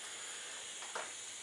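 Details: Bernzomatic butane soldering iron, new, running continuously: soft steady gas hiss with no whistle and one brief puff, ceramic tip glowing; normal running hiss.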